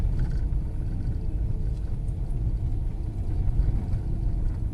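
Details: Fiat Strada on a slow downhill cobblestone road test after replacing a noisy steering box with a new TRW rack and tie-rod end. Steady low road rumble with no knocks or clunks; steering knock eliminated.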